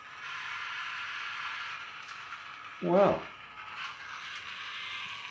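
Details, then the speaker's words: Magic Track toy car: thin high motor whir, then a short rattling click burst as it bogs. Ratcheting gear noise, suspected slipping or broken gear; the car couldn't make it around the track. "feel it sounds like gear is slipping so might have to fix that"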